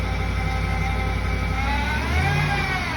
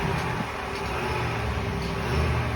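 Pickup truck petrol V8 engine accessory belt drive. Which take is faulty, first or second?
first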